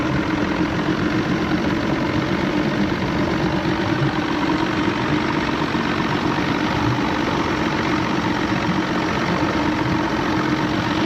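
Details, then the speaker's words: McKee Craft boat with Evinrude 150 XP outboard under way: steady drone with an uneven, stumbling note and no clean pull; misfire with loss of power, suspected fuel starvation from dirty carb high-speed jets. "It sounds like it's missing, but I think it's like not getting the right amount of fuel."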